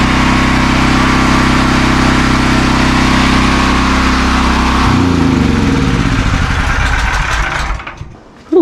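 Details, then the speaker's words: New open-box AGT industrial 12kW (9kW continuous) generator on first startup after assembly, measured about 90 dB from 4-5 ft: loud, steady drone with an even beat, then smooth wind-down at shutdown; running normally. "so she's pretty loud kind of figured it would be so yeah looks like around 90 when you're four or 5T away from it which isn't so bad for just an open box generator"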